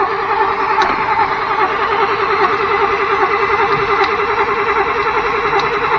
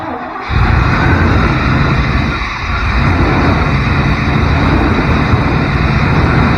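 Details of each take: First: 1992 Chevrolet truck pulled from a field after sitting 10-15 years, cranking on a fresh battery with charger help and starter fluid sprayed in: starter churns steadily, about two to three turns per second, never catches; cranks but won't start. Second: 1992 Chevrolet truck pulled from a field after 10-15 years; catches after a short crank and settles into a steady, even low rumble with no knocks or misses; sounds healthy.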